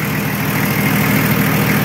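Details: Nissan Patrol Y60, TD42 turbo diesel, idling after a first-try start following 9 months in storage (since July 2024), ~3-year-old battery; boost and gauges working: steady, even low diesel clatter, no misses or knocks; normal idle.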